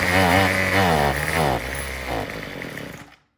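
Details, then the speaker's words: Troy-Bilt TB225 small two-stroke tiller, carburetor mixture screw turned 1/8 counterclockwise richer: revs up then sags and stumbles, surging unevenly before dying, still sounds like it's running out of gas; fuel starvation. "Yeah, it just sounds like it's still running out of gas."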